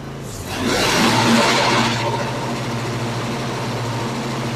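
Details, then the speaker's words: Cub Cadet Ultima ZT1 54" zero-turn after blade spindle replacement, blades engaged: steady engine drone with a smooth blade whir and no knocking or grinding. The belt may still shake slightly, but the earlier loud noise is gone. "That sounds okay. Uh I don't like the way the the belt seems to still be shaking a little bit. I don't hear any shaking. Um and that might just be normal. That's just how this is. But anyway, I don't have that crazy ass noise I was having at all."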